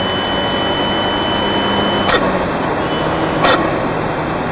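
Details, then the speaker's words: Fiat 124 Spider Abarth, tuned, after the fix: Forge wastegate actuator spring swapped yellow to purple and Forge atmospheric BOV crack pressure lowered from about 11 to 9.5, tune untouched. Steady pull, clean turbo whoosh, short blow-off releases, no low-rpm surge or high-rpm stutter. "so as you can hear it's smooth both the issues i had the blow off low rpm surging the higher rpm with the wastegate actuator going off it was all fixed from swapping out those parts and putting the right springs in"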